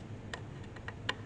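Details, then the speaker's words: Webster Chicago Model 70 record changer from a Magnavox console: faint, uneven sharp ticks about four a second as the needle drags over a spot it scratched while the arm rested on the off button; the resting needle ruined both needles. "That's where the needle, when the arm's sitting here, the needle's hitting that, and it scratched that there. So, I mean, you can hear it,"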